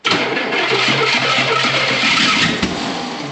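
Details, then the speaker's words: Hard start on an engine reeking of fuel, running rich with the choke on: cranks and catches roughly, then one sharp pop, a backfire; exhaust suspected restrictive. "Oh, that was a backfire. There we go. Kind of."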